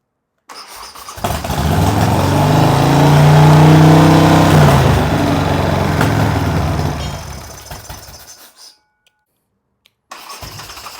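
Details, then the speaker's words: Harley Sportster build first start after new short plug cables, on choke with throttle adjusted: cranks, catches and revs, settling into an even lumpy idle about four beats a second; healthy start, no obvious leaks. "I don't know you guys can hear me but it's alive you got the fuel tank got the choke down it adjusted the the throttle a little bit so we can idle"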